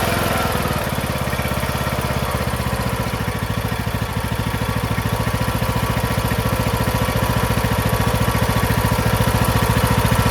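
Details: Craftsman MTD T1600 lawn tractor, first start after camshaft with ACR replacement: steady even chuffing idle about three and a half beats per second, no knocks or misses; runs smooth.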